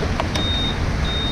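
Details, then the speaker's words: 2021 Honda PCX 160 CBS scooter with anti-theft alarm system: two short, high beeps from the buzzer as the ignition comes on, over a low idle rumble; normal power-on buzzer, which can be disabled with the remote. "merong beep sound, di ba? Beep beep na ganun."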